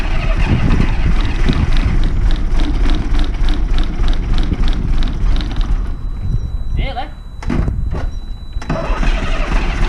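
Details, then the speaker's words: Diesel bus, cold morning, no Easy Start: long steady cranking about three turns a second without catching; air entering at the leaking, dripping fuel return, so the pump needs priming and air bleeding out. "And I could see actively dripping when the engine was running. So, that's where air is getting in."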